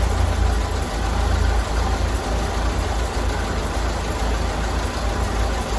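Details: 1932 Ford Model B four-cylinder, idling after the spark plugs were cleaned, which the owner believes was the problem. Steady, even low chuff with no misses or knocks, running clean and smooth.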